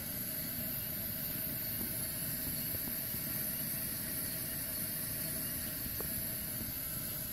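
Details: Restored 1974 dual-fuel Coleman stove with new valve, first tank: steady, even hissing roar with no sputter or pulsing, clean flame; running healthy.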